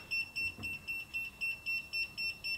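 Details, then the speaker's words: Kaiweets HT100s non-contact voltage tester inserted into the hot (narrow) slot of an American outlet beeps steadily, about four high chirps a second, showing about 10%, signalling live voltage; louder when right on a wire, silent on neutral. "now you can hear the thing is beeping uh it's showing about 10% it's going to scream bloody murder when it's right on a wire"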